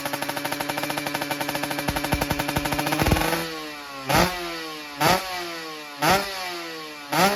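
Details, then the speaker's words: Kawasaki Ninja two-stroke with new Super Cobra exhaust, free revving: crisp buzzing revs in quick blips with sharp dry rasp at the top; running lean ("dry") with the new pipe. "Nah, jadi ini udah kedengaran guys, udah rada-rada kering ya. Jadi teman-teman yang telinganya itu telinga motor 2 tak udah pasti tahu ini udah jelas kering ini."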